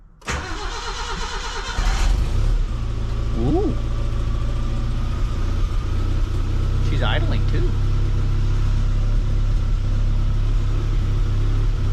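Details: Geo Tracker with engine just reinstalled, first start with vacuum lines connected: fuel pump whirs, engine cranks and catches quickly, then settles into a steady, even idle, timing about 8° BTDC; sounds healthy.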